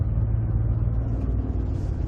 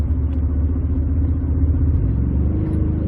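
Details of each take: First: 2007-2020 Ford F-150 with 6R75/6R80 6-speed automatic, torque converter clutch engaged, light throttle creeping up in speed: low rough drumming like rolling over rumble strips, converter slipping and vibrating; torque converter shudder. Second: 2007-2020 Ford F-150 6R80 six-speed: steady deep road rumble under hard throttle held in 5th/6th gear, torque converter clutch commanded on, no pulsing or shudder and no slip blips on scan data; normal lockup under load.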